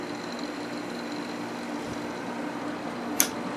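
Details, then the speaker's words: Quasar 8000 BTU window AC, first time installed in a window; compressor started, very quiet steady low hum with faint fan whoosh and one brief click; normal running. "Let's turn it on. Compressor did start. This thing is extremely quiet."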